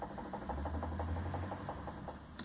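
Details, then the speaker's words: Hyundai HB20, front stabilizer link rocked by hand: rapid light knocking about five a second; the worn link (bieleta) mimics a knocking steering rack bushing, louder on the passenger side, the other side quieter. "a bieleta ela faz o mesmo barulho como se fosse a bucha da caixa de direção batendo"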